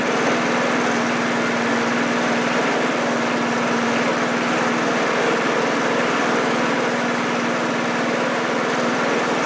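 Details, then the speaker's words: Briggs 3.5HP single-cylinder push mower engine (about 1978–1980) with diaphragm carburetor and automatic choke, running at about quarter throttle after deck repair: steady even buzz, no misses or surging; healthy normal running. "well guys it seems like it's running good"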